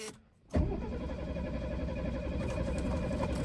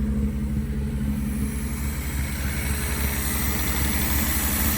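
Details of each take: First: 1973 Mercedes with a replacement carburetor just fitted: starter churns steadily for about three seconds with no firing or catch; cranks but will not start. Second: 1973 Mercedes after carburetor swap, no muffler: loud open burble at slightly high idle with even pulses and no misses; normal idle.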